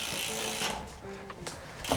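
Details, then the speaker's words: Bicycle wheel spun in a stand after cleaning contaminated disc brakes: only the fine ticking of the freewheel, no brake squeal. "silence much better but it always works well in the stand let's try it out on the floor again as well nice much better much better all cleaned"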